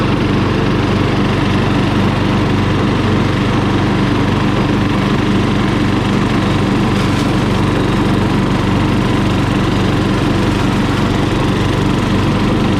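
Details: Murray lawn mower single-cylinder engine, just after carburetor cleaning for dirty fuel (float and needle fine): holds a steady, even full-throttle drone with no misses or surging; carburetor running clean.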